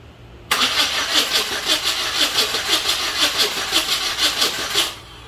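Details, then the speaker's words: Chevy S-10 donor truck, second start attempt, no fuel pump heard: starter cranks steadily about one beat per second for four seconds, spark present but engine never fires; crank, no start. "Well, still not starting. Getting fire and not starting."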